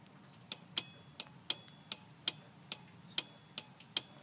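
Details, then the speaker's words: Dodge Ram 50 / Mitsubishi Mighty Max, Hella Supertone horn install: relay on inner fender wall clicks sharply about twice a second but horn is silent, no voltage output because fuse block has no fuses yet. "you can hear the relay going off. I wasn't getting any voltage out of there, and so I was wondering what the hell is going on, and then I realized I have no fuses in my fuse block yet, so once I get a fuse in there, that should take care of it."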